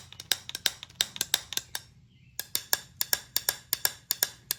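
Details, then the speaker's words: Small-block Chevy pistons removed and rung like bells after the #3 spark plug was oil-fouled and carbon-heavy. The #3 piston rings noticeably higher than the duller thuds of the others, and a crack was then confirmed. "there is a different pitch to three definitely. One is very similar to three and the other ones are more of a lower tone thud."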